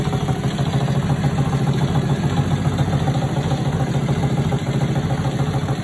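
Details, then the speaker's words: Restored mini chopper / mini bike, small single-cylinder engine: settles into a steady, even putter at about three and a half beats a second; normal healthy idle, and the owner reports it drives and runs beautifully after the restoration. "Like I said, the bike drives amazing. I love the way it sounds. It just runs beautiful."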